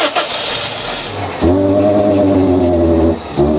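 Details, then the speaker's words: Car bought from DriveTribe, jump-started in a field: engine catches and runs briefly with a strained, rough note, then sags and nearly dies; collapsed catalytic converter blocking the exhaust, like an unattached airbox. "it sounds pretty Ry doesn't it it almost sounds like the airbox is not attached that's what it sounds like cuz it's struggling"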